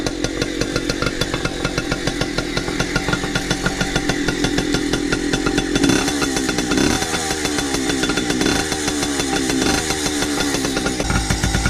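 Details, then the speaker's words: 2002 Yamaha PW80 two-stroke, rebuilt with new crank, main bearings, jug, head, piston and rings, carb rebuild, idling while warming up: rapid even popping at a steady rate with no stumbles or rattles. Normal idle. "Okay, I don't know if you can hear me, but we're going to let that idle for a little while till it gets warm so that it'll be a fair"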